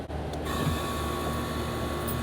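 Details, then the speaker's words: AC condenser unit with 240 V supply, power reconnected after a capacitor check; a click, then a steady low hum with a faint even tone, nothing rattling, condenser fan heat felt. Compressor running normally, amps checked next. "I can hear the compressor keep on. We're going to check uh for uh amps and I can feel the heat for the fan condenser fan."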